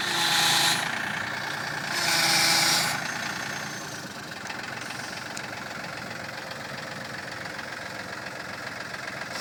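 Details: Cub Cadet with a Yanmar diesel engine ticking at a steady beat, with two loud high-pitched whining bursts early on from a damaged, messed-up transmission.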